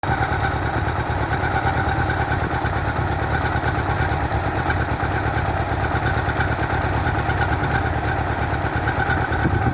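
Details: 1986 Honda Goldwing 1200 Aspencade idling steadily with a thin, constant squeal over the low rumble.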